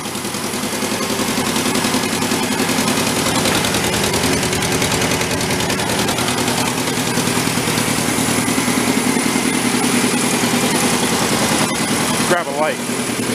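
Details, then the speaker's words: Homemade tractor with air-cooled Volkswagen flat-four, long-stored, just started on choke after oil-leak repair, not yet warm: rough uneven idle with sharp puffing tick each pulse; exhaust puffing, owner suspects a leak at the header pipe, not manifold. "I don't think we got a hole in the manifold kind of sucks I think that header pipe in there has got a leak somewhere definitely not as placky though"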